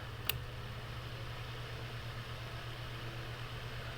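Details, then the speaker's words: Bathroom fan with seized motor that hummed and barely turned, after first oiling and a hand spin of the blade, now on high: steady low hum, faint whoosh, still slightly sluggish; bearings still partly seized, more oil needed. "we're gonna have to give that blade a little spin here to get it going [Music] oh oh there we go guys now it's starting up"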